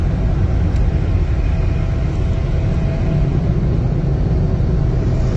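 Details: 2020 Toyota Avalon TRD after spark plug change, heard from the rear of the car: steady even low rumble, no knocks, misses or ticking; normal idle.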